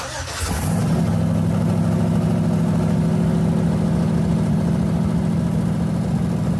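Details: LS-swapped S10 truck restarted with the front drive belt removed to isolate an earlier noise: cranks, catches within a second and settles into a steady, even idle with no squeal, chirp or knock; sounds healthy.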